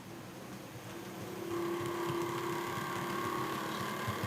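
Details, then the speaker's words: Bachmann class 47 model loco, normally grinding in one direction, running in the other direction: quiet, even motor hum settling to a steady tone as it picks up speed, no grinding; smooth. "it's weird in One Direction perfectly silky smooth have a listen"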